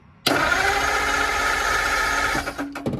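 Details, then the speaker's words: 1949 Ford shoebox, six-cylinder (possibly 90 hp), cranked with choke after spark plug snugged: starter spins steadily about four pulses a second but never fires; no spark found, points suspected and distributor to be opened. "crank it hold it there ain't hell there ain't no spark in there there's no Spa Mr bud how come did anybody mess with the points or anything"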